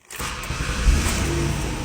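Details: 2004 Ford Taurus with stalling and a no-start; the PCM had no power, and a broken wire was suspected and then found. With power restored, it cranks briefly, catches quickly and runs evenly: normal start.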